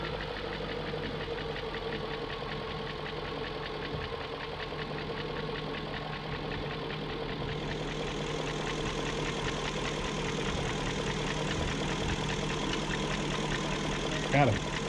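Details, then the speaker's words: 2001 BMW E38 740i at steady idle: light, fairly even top-end tick persists after lifters checked, VANOS units rebuilt, VANOS distributors and intake-cam end gaskets replaced; no codes, cause still unknown. "and i still have that ticking sound i checked all the lifters i have redone the bannos i replaced the vanos distributors the camshaft gaskets that were on the end of the intake cam and it's still"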